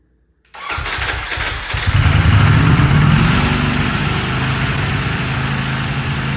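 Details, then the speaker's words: Salvage Ducati Panigale V4S at its first start since purchase, after throttle wiring repair: a quick crank, then the engine fires, flares briefly and drops to a smooth, steady idle; runs normally despite a flashing dashboard error message. "out it runs oh my goodness this is sick"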